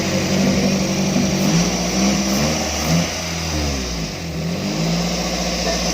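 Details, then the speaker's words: Daihatsu Grand Max, engine fully warmed up: steady, elevated idle that never drops, with no tachometer to read rpm; high idle when warm, cause not yet found, throttle position sensor being removed next. "Kalau masih dingin sih wajar lah ya kalau RPM-nya tinggi, tapi ini udah dingin, udah panas, tapi dia masih tetap tinggi."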